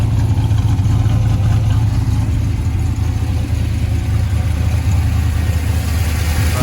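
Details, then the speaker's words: 1985 Chevrolet K20 Suburban with LS swap, about 200 miles on swap: steady, deep V8 idle with slight cam lope, even rhythm, no knocks or ticks; owner says it sounds pretty good, healthy. "um but yeah let me do a walk around so this idling runs fairly smooth got it all broken"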